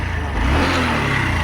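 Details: Honda BS6 motorcycle that jerked and stalled from a jammed petrol filter; engine catches and revs smoothly with an even, steady note, no stumbling or cutting out.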